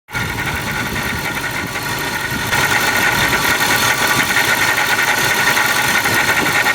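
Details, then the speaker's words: Ford SVT Lightning fitted with a Jokerz-rebuilt Eaton supercharger after one summer of driving: harsh, steady mid-high whine over the exhaust that grows louder; failing supercharger. "all right well as you can hear from those videos this uh Joker's eaten has given it up"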